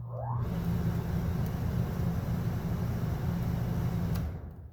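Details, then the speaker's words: Coleman Mach RV rooftop air conditioner, fan-only mode, after replacing the hard-starting blower motor with a Fasco D1092 1/3 hp 1675 rpm motor: quick rising whir into smooth, even hum; blower runs healthy. "ain't that a lot better to hear how fast that thing fired up compared to the old way or the old motor"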